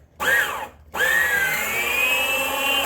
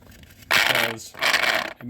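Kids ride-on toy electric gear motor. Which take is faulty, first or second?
second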